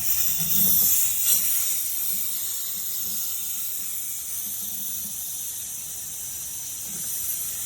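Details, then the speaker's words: Porsche 924 Turbo fuel system, banjo bolt removed from the line's far end: steady sharp hiss of escaping air with faint pulses, heard from under the car midway behind the front tires where the lines run; leak suspected, not confirmed. "well that doesn't sound good um I don't hear it coming out of the other end of the fuel line I hear it coming out below the the bottom of the car"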